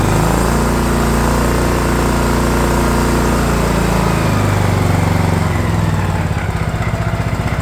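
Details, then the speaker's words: DR all-terrain mower, Kawasaki FV420V engine after years sitting: following oil change, carb cleaning and new air filter, starts a bit lumpy while the carb bowl fills, then settles to a steady, even beat with no misses; big improvement. "but that ran really good that was pretty good Improvement so carburetor is 100% perfect now"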